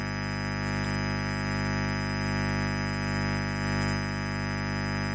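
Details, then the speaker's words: Microphone cable test with the mic muted and the channel volume at 11: a loud, steady buzzing hum with a low drone and faint hiss. The cable itself is noisy and faulty, and is judged unfit to use. "yang kalian semua dengar, kebisingannya memang sangat buruk, kan? Kabel mikrofon ini."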